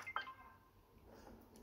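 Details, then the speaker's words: Working Xbox One S, about six years old, normal shutdown: one short clean beep then silence; normal power-off tone, unlike a faulty unit that needs a hard crash to turn off. "Normally, it's going to do this. So it's a flash. Turn the screen off. Bob's your uncle."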